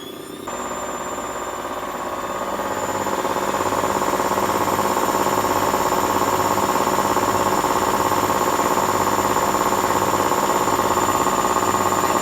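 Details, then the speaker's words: Hotpoint WMA50 washing machine after new suppressor fitted, small load: motor winds up into a steady, even final spin hum with soft regular pulse; normal after repair. "things going faster and faster now lights on final spin"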